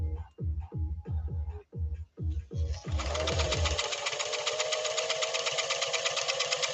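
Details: Singer Fashion Mate Model 362 sewing test after slight upper tension increase: even stitching thumps roughly three per second, then steady fast run under background music; machine sews smoothly.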